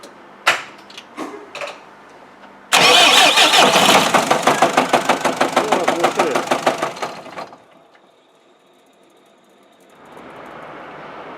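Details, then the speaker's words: Cummins 3.8 engine that started knocking the day before, covered in oil: heavy rhythmic knocking about three per second while cranking, catches briefly then dies; initial verdict is likely a broken crankshaft, not yet disassembled. "вот такие вот звуки у него при сломанном коленвале на первоначально вердикт это скорее всего коленвал сломала"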